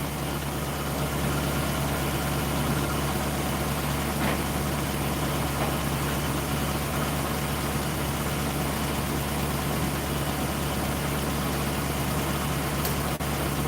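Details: V8 at the engine bay: low, smooth, steady idle rumble with no misses, knocks or surging; normal idle.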